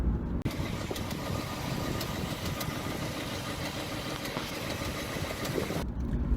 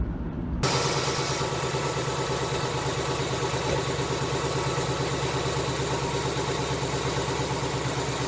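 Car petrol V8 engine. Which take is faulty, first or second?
first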